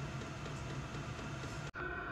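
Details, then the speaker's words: SILVEL diesel parking heater exhaust ported through a garage wall via stainless exterior port, heard outside while running: steady even rushing hiss with a faint thin tone, no popping or surging; normal, a little noisy. "and here's just a quick shot of the exhaust on the outside while it's running it's it's a little noisy but this is over my trash cans"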